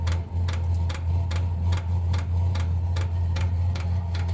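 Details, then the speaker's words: VEVOR 8 kW diesel parking heater installed on a Freightliner Cascadia truck: steady sharp clicks about two and a half a second over low heater hum, the fuel pump working normally to feed fuel to the heater. "So as you can hear it clicking, that's the fuel pump."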